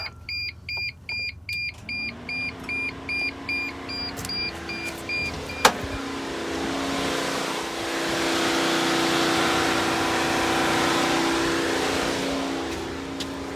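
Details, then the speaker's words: Mercedes Sprinter van with fuses 16 and 17 removed to simulate the fault: door chimes at key-on, then the radiator fan runs steady with no crank or click, showing the ECM is not getting voltage on one of its circuits. "Now, if your radiator fan up front comes on when you turn the key on like this,"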